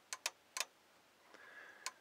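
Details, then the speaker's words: Ford F250 fuse box with dome light problem; sharp, uneven clicks in quick pairs as the relay pops on and off; short suspected at a pin inside the fuse box at fuse number four; relay clicking. "relay popping on off so inside the actual fuse box itself there's like a pin in there I believe"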